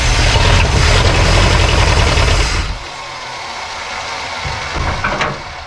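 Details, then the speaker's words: 1972 Plymouth Fury Sport III that sat about 10 years, started to see if the old fuel pump will pump: a brief, uneven, lumpy firing that dies after a couple of seconds. Rough running on priming fuel. "Wow, that sounded rough, didn't it?"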